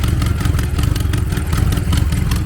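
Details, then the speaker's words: BMW X6M twin-turbo V8 at idle after fuel pressure correction: deep steady rumble with a faint rapid puffing tick, a large exhaust leak, possibly from both turbos on both sides, suspected of upsetting air-fuel ratio and O2 readings. "That exhaust leak sounds horrible. Exhaust leak that big. Who knows? It might be both sides, both turbos are are are leaking exhaust."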